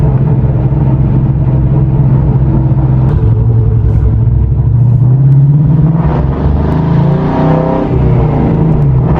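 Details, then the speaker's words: Mustang with a spark plug blowout, out on the road after an additive run had smoothed the idle and stopped the idle miss: the engine note stumbles and pulses unevenly, still running rough under way; owner says it acts like a coil problem. "yeah it's still running rough that is weird it is kind of acts like a coil"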